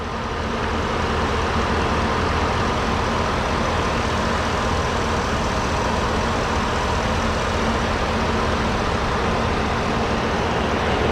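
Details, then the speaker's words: Ford F-150 with oversized aftermarket power steering reservoir, idling about 10 minutes after fluid service: even, steady low idle, no more pump noise, cavitation or bubbles; power steering healthy. "So I literally just have had the truck at idle for about 10 more minutes since I said thanks for watching, but you can see no more noise, no more cavitation, no more bubbles."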